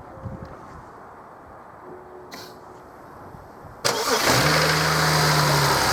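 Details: 2007 BMW 335i E91 after refurbishing its own starter motor, first start after mechanical rebuild: quiet, then the engine catches cleanly at once and settles into a smooth, steady idle; normal start and idle.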